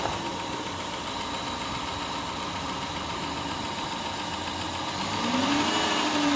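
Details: 2010 Chrysler Town and Country cranked after hydrolock repair (new manifold gaskets, plugs and coils reinstalled): the engine catches, idles evenly, then picks up smoothly on a light rev with no knocking or misfire, smoking off cylinder water and oil. Normal idle.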